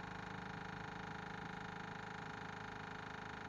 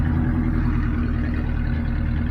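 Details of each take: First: 1979 Ford F800 dump truck with a broken 429 and a gummed-up carb, engine off: fast, even ticking from the electric fuel pump priming the carburettor with gasoline, normal. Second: 1979 Ford F800 dump truck with broken 429 V8; deep run with uneven, stumbling low thump rather than smooth beat; sounds like a cylinder misfire, cause unconfirmed.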